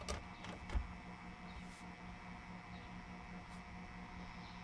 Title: EVGA Hybrid Water Cooler "buzz" sound